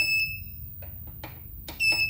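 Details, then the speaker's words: 1000W pure sine wave transformer inverter with charger, setting program 18 alarm control (beeper) off: two short clean high beeps under two seconds apart in a quiet room; normal keypress tone, silent afterward. "Jadi ini untuk alarm kontrol. yang bunyi beep tadi bisa di on kan dan di off kan ya. Kita off kan saja karena berisik."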